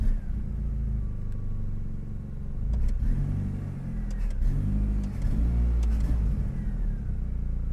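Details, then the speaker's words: 4G63-swapped AWD Mini Cooper, untuned, spark advance locked at 5 degrees, throttle blips after adjusting acceleration enrichment (had been going lean then flooding rich): deep note rises and falls cleanly without stumbling or popping; smooth acceleration, no longer sputtering. "at least that's sounding better and we're about to die here but at least now it's it's not sputtering"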